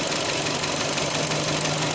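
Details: 2005 Hyundai Elantra idling just after the timing belt was tightened: sharp, even ticking knocks about six a second over the idle, louder than before; a rhythmic engine knock whose source isn't pinned down.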